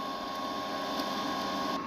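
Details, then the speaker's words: GZ Guozhi 200A multi-process MIG welder on wire test, after adding drive roller tension to stop skipping: steady even motor hum with thin constant whine, no skipping clicks; normal wire feed to the gun. "it looks like we are good to go and my wire has made it to the front of the Mig gun"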